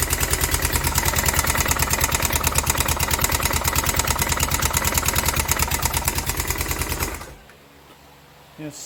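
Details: Kawasaki Prairie 360 4x4 ATV engine at idle: hard, regular knock about three per second, locked to the firing beat, deep in the bottom end; still knocking, bad crankshaft suspected, not confirmed.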